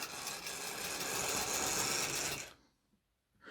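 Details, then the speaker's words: Old analogue model steam locomotive with a known slipping motor, run up on the controller: harsh, high buzzing whir under power, much louder than it should be, then it cuts out. Loud abnormal noise from the motor or gearing. "Oh, that's a noise and a half, isn't it? You're not an electric train. Well, you are an electric train, but you're meant to be a steam train."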